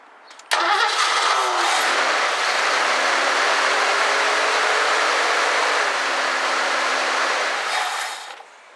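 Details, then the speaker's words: 1984 Ford Mustang GT350 barn find, new battery, choke closed, float bowl primed: engine catches at once, runs rough for about seven seconds then dies on its own; stalls after starting, fuel supply suspected, fuel filter to be checked. "all right it's definitely just shutting off so I'm going to see about taking the fuel filter out and seeing what we got"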